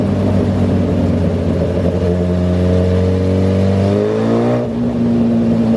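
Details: 2008 Suzuki GSX-R1000 on dyno, fuel pressure under 40 PSI at idle: note climbs steadily under load, then wavers and sags as pressure drops and it runs lean; pump can't keep up. Fuel starvation from failing fuel pump.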